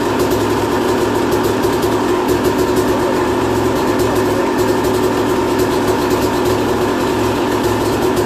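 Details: 2001 Yamaha YZ250 two-stroke bought running poorly, after new top end, jets and service (compression tested 100psi, owner has an idea why); crisp, even buzz holding steady with no misses, knocks or surging, normal idle.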